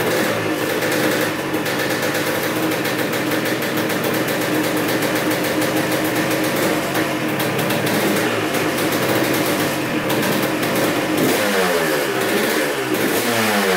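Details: 1986 Honda CR250 two-stroke dirt bike, sat over five years, first run on fresh premix: crisp buzzy idle with clean throttle blips, no knocking or bogging; started right up, no leaks, idled about 20 minutes.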